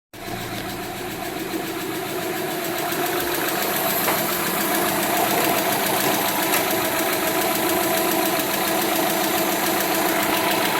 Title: i think this is lifter tick